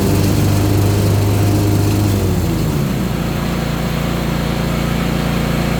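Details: Ariens Apex mower with Kohler 7000 series twin, 238–239 hours, oil checked: lumpy uneven thump about three beats a second, revs sagging; one cylinder dead.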